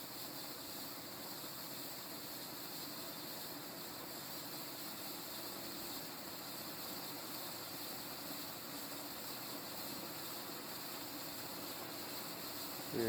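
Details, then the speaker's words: 36-inch View Fan industrial ceiling fan, mid-to-late 1980s, 5-speed wall control, at higher speed (about 260 rpm at top): soft steady hiss with airy rush, no knocks; poor-quality bearings noisy, worsening as fan speed rises. "i'm gonna take it up the speed number two the bearing noise only gets worse the faster the fan goes"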